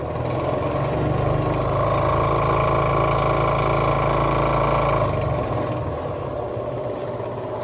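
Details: Sears Craftsman Contractor Series 20-inch scroll saw with new DC-51 speed controller (0–90 V DC) replacing failed one that ran only full power: steady hum with light rattle, easing off as speed lowered; speed control working normally.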